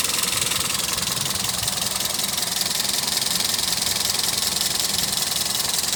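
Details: Toyota Etios engine noise at idle: fast, fairly even ticking, about three or four per second, over a bright hiss; abnormal, cause unclear.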